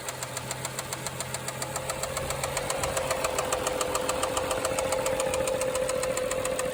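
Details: BMW 535xi N55 in stop-and-go highway traffic: sudden sharp regular knock about 3.5 per second over the running engine, growing louder as the car stalls and shuts off repeatedly; deep internal engine knock, cause not found, valve cover inspection showed chain and valvetrain intact.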